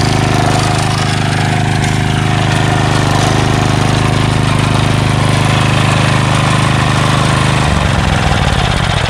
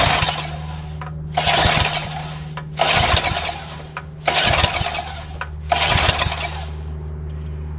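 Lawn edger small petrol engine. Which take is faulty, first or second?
second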